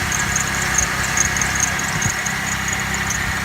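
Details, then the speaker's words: Old neglected vehicle on a jump box, low brake fluid and no oil level showing: smooth steady idle with a faint high chirp repeating a few times a second, source of the squeak unclear; exhaust not loud. "Oh, she runs good. She's got a little squeak, but"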